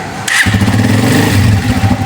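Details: Honda 125 Special Edition with the battery refitted: a quick starter whirr, then the single catches at once into an even putter; the self start works and the rectifier is suspected for the charging fault.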